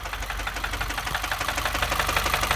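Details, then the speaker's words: 2015 Subaru WRX at idle: a sharp, even ticking knock at about six per second rides over a steady idle, coming from somewhere in the engine; cause not identified. "don't know if you can hear that noise. Yeah, it sounds like it's coming from in there somewhere."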